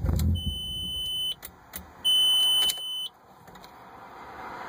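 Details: 1998 Audi A4: turning the key, a brief crank and catch, then the engine dies within a second while a chime beeps twice; starts then stalls, cause unknown.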